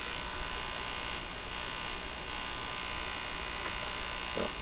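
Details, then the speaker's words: Crosley 43FB farm radio on shortwave band during alignment, capacitor removed and external antenna connected; steady coarse buzz with low hum under it; suspected fault within the radio. "Ooh, hear that buzzing? I'm sure you do. That's got to be a problem with this radio."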